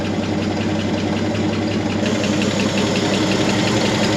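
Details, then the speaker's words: Chevy C30 pickup with an inline six, off the road since 1978, first running again with good oil pressure; light, quick valvetrain tapping keeps pace over a steady idle. "Sounds like a tippy-tappy little inline 6."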